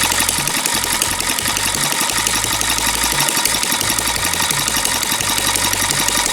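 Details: Long-unused small petrol water-pump engine, hard to start, finally started: busy, even buzzing run with steady pitch and no misses or knocks; running normally.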